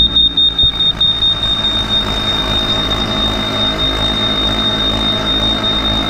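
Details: Clad Boy CB4 vacuum lifter suspended from a forklift over a Kingspan roof panel: lever slid into green zone, constant high buzzer tone over rapid pump chatter as the vacuum gauge rises from red to green; normal operation.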